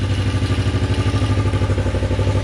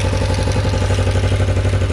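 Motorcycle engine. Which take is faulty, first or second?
second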